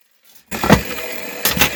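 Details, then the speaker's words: Chinese chainsaw after carburettor cleaning and new primer hoses: catches after a pause and settles into a quick, busy two-stroke run without stumbling or dying; starts and runs normally, carburettor still needs adjusting. "запускається нормально це вже на вулиці простотестують тому що тут диму буде занадто багатсько"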